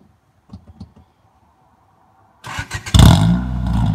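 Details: Engine with eBay aftermarket 4-2-1 headers fitted after an exhaust leak, plus an EDM muffler: a few cranking pulses, then it catches and revs into a loud, deep, steady exhaust note, over music.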